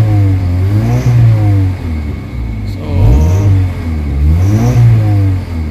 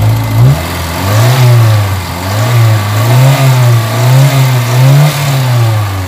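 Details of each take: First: Kia Pride with white smoke, low power and throttle delay, before Xado engine treatment, warm with aircon on: engine revs up and down in uneven swells, shaky and never settling, with heavy engine vibration; rough running, internal engine condition suspected. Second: Kia Pride engine that had white smoke, vibration and low power, running after an XADO engine treatment: steady low note that swells and settles with light throttle, smooth and even, with no knocks and no exhaust smoke now; runs normally.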